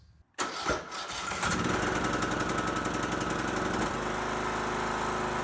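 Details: Craftsman T1400 lawn tractor, 17.5hp Briggs & Stratton, after sanding paint off under the battery ground cable to cure weak crank/no start: brief quiet, then strong crank that catches straight away into a steady, even run.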